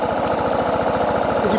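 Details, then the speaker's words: Suzuki DR650 at idle: fast pulsing big single stumbling, backfiring and dying out; rider suspects it isn't getting enough fuel. "still backfiring I feel like it's not getting enough fuel"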